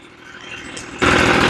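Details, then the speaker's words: Echo leaf blower after a carburetor rebuild, started with priming and choke; quiet idle, then a sharp jump to a loud, steady high-speed roar with no misses, sounding pretty good for an old blower. Normal running. "Now you can hear it. Sounds pretty good for an old blower."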